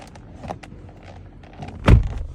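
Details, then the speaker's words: Knewstar 001 (GTUGE) car door closing: faint crackly ticks and a small creak before a solid thunk, from creaking door handles, later fixed. "Но, в частности, клиент приехал устранить вот эти вот моменты, когда мы закрываем двери. У нас происходят вот такие хрусты."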